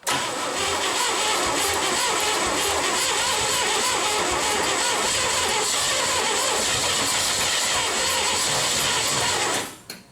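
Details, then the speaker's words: 1970 International 1200 pickup that sat 30 years, after cleaning the points: fast cranking about two turns a second for nearly ten seconds, almost firing but not catching; battery a little low. "Almost fired. A little low on the battery."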